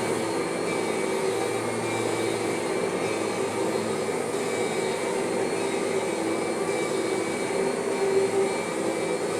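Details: Kirby vacuum: steady even motor drone with only a faint thin whine; most of the original normal transmission whine is gone, transmission running normally.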